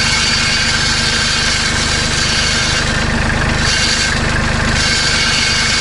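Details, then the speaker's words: Kubota B2650 compact tractor diesel idling with the muffler clamp removed: a loose metallic buzzing rattle over the idle, suspected metal-on-metal at the muffler; the owner fixes it by refitting a clamp. "so as you can see it's a pretty annoying rattle I'm not sure exactly what's causing it I mean my guess is it's metal-on-metal"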